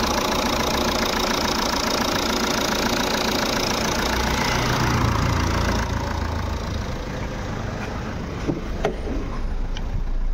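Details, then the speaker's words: Jeep Compass diesel idling after alternator pulley replacement, heard in the engine compartment: steady even idle with smooth low hum, no squeal, chirp or rattle from belt and pulleys; customer's noise cleared. "यहां पर engine compartment में कोई आवाज नहीं है एकदम गाड़ी हमारी साइलेंट हो गई है"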